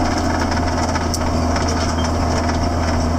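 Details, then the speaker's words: 7410 diesel tractor on the hill after an in-frame engine rebuild; before, it needed a downshift to first and lacked power. Steady, even drone under load with no knock, miss or rattle, and it sounds strong. "The last time I drove it, it couldn't get up the hill without me downshifting to like D1. So even though that engine's tight, it should have a lot more power than it did have."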